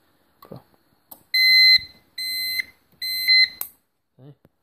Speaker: so I got this stupid annoying coffeemaker that beeps when it's done I got pretty tired of hearing the beeping